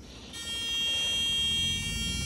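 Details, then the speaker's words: Truck APU after oil, fuel and air filter changes, with a newly fitted fuel pump: a thin, steady electric whine starts abruptly and holds an even pitch over a faint hum; the new pump priming normally, not heard before. "oh I hear I hear it pumping I didn't hear that before that's definitely new"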